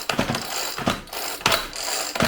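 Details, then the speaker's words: Homelite 4620C 46cc chainsaw, 20-inch bar, recoil starter before repair: each pull gives stuttering ratchet clatter with sharp slips as worn plastic pawl teeth skip, not pulling smoothly. "the first issue that i need to tackle here is when you pull this pull starter it's got some plastic teeth in here and they're skipping so it's not pulling smoothly see if i can demonstrate that first you can see it almost skipping"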